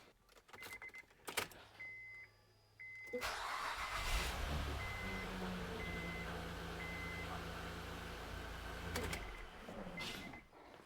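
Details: 2007 Honda Pilot just after upper intake manifold gasket replacement: after a few chimes it cranks, catches quickly and settles to a steady, even idle with no knocks or misses; normal.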